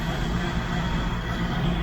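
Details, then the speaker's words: Small-block Chevy V8 in a CJ, just converted from propane to a Holley Sniper EFI with HEI ignition. First run after install, EFI still self-learning: loud, steady low rumble, even throughout with no stumbles; smooth idle. "takes a little while for it to learn itself and do all the things that it's supposed to do"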